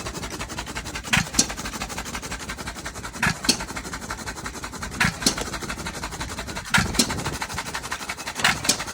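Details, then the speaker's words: Second run of a Novo 3.5 or 4 hp hit-and-miss engine, 20-inch flywheel, revived after water seizure and light hone, fuel pump unfinished; very smoky, spraying oil, sharp bang about every two seconds with coasting between: sounds good, normal hit-and-miss running. "That is a smoky son of a bitch. Man. But she sounds good. But she's spraying oil everywhere."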